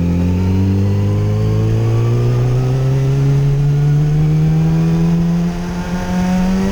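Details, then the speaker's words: 2008 Yamaha FZ1 after an ignition coil replacement fixed a stutter and hesitation below 4,000 rpm: clean, steady exhaust note climbing evenly as revs build, with no stutter or hesitation. "Swapped out the coil. Now she rides like a dream."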